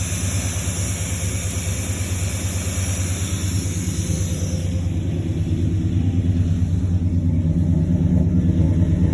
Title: Exhaust leak fixed